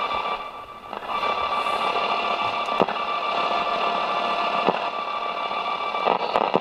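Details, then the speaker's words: Early-1960s Roberts R200 radio during recapping service, after fitting a 47 capacitor, playing through a small speaker: steady, even sound with faint thin tone and light hiss, no crackle or dropouts; definite improvement. Normal radio playback. "Definitely improvement. Don't forget, we've only got a small speaker in there. Let's see what it sounds like on its original speaker, because that's only a baby one."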